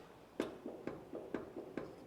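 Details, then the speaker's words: Sand rail front suspension rocked by hand: sharp metallic clunks about twice a second from a front heim joint with significant play; the other heim joints show only slight play. "Clunking. So, that one's got pretty significant little amount of play."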